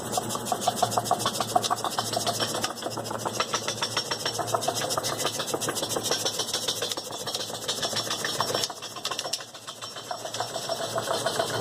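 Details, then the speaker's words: MG car suspected of a suspension noise, checks found nothing: rapid dry scraping rasp, about three strokes a second, actually the plastic wheel liner (tire shield) rubbing. "o barulho chegou com um barulho de suspensão sendo uma checagem aí não encontramos nada na verdade o barulho está relacionada a blindagem do pneu como simular o barulho"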